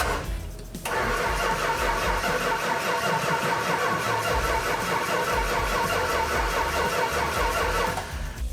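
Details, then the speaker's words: 1970 Dodge Challenger R/T, 440 Magnum V8, 4-speed: starter cranks the engine steadily for several seconds but it never fires or catches; no start, no spark because the coil wire was left disconnected. "i asked you to hook the coil up you freak you don't hook it to a coil wire it wasn't hooked up"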